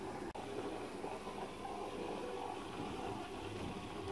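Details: Electric roller shutter motor after replacing its faulty capacitor, which measured 0.4 µF instead of 4 µF and had caused a strange noise and failure to rise: steady, even hum with no grinding, knocking or surging; running smoothly.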